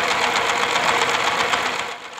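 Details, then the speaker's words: Single-cylinder S-195 diesel powering a well-drilling rig, started cold and then run until hot: rough, rapid hard clatter with a hissy, breathy edge; white smoke pours from the crankcase breather with loss of power, indicating a badly worn engine with heavy blow-by. "baru dihidupkan ada asap putih yang sudah mulai keluar dari ventilatornya kita akan coba hidupkan lagi lebih lama seperti Apa hasilnya ini Wah ternyata parah sekali ya saat mesin diesel ini sudah panas"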